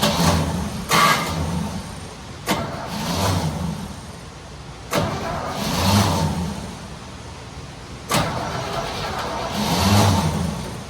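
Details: Small block in 1972 Chevy C10 just rescued, first start attempts, weak starter and fuel delivery in question: catches, surges unevenly and sags again; runs but not happy; rough running, cause unconfirmed.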